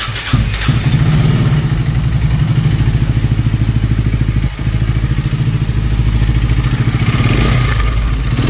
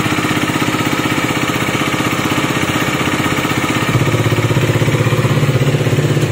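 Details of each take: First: KTM Duke 250 BS6, new bike: rough idle with a loud, uneven mechanical clatter over the firing beat, about three per second; worn timing chain and camshafts found, timing chain replaced. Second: KTM Duke 250 BS6 single-cylinder, idling after engine repair for loud engine noise, silencer blocked to hear the engine; even, regular thump with no top-end ticking or rattle, the earlier noise now gone: normal idle.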